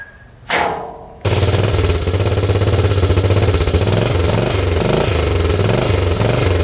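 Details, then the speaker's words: 1998 Yamaha Grizzly 600 4x4 ATV, formerly limited to 10–15 mph, on a test drive after the fix: strong, steady single-cylinder thump at speed, pulsing evenly under throttle. Now easily doing 55, running properly. "Oh yeah, that's the way it should be running. Easily going 55 now. That is awesome. Completely fixed. Running awesome."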